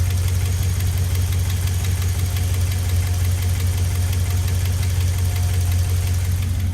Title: 5.7l hemi 4th gen ram ticking noise hot start